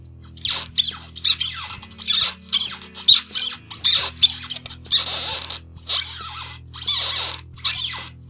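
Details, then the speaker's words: Caliper II longboard trucks whose bushings lost their white lithium grease after heat, water and cold damp exposure: sharp high squeaks with each lean of the board, dry bushings rubbing; squeaky truck bushings. "the white lithium grease that was on the bushing to lubricate it when I bought it has now evaporated and as a result the bushings are now very squeaky"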